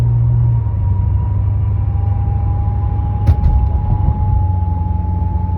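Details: Pontiac G8 GT: a thin high whine over road noise from 30 into the 40–50 mph range, also on deceleration, seeming to come from the back of the engine or near the transmission. Source unconfirmed.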